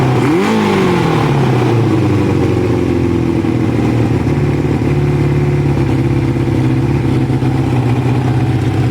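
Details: Kawasaki ZL600 after fitting pod air filters, throttle response test: a quick blip rises and falls cleanly, then a smooth even run with no stumble or pop. Healthy throttle response.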